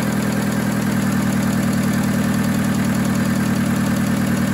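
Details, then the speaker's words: VW Polo 6N2 (AUA engine) first start after sitting and exhaust refurbishment: smooth, even idle with a steady low pulse and no ticking, knocking or stumbling; engine sounds healthy. "let's go to the engine it sounds really nice"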